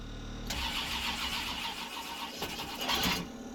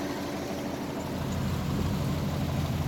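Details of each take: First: GM V8 truck engine, first start after it seized when the oil cooler hose came loose at the filter adapter, with new spark plugs and transmission fluid in the cylinders: it cranks and catches into a ragged, stumbling, smoky idle because plug wires 6 and 8 were crossed and cross-firing. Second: GM V8 with about 25,000 miles, after seizing from an oil cooler quick-connect failure and being revived: a deep, steady, even idle that sounds like all eight cylinders are firing, still smoky. A screech now occurs only in reverse, which the owner suspects is the thrust bearing.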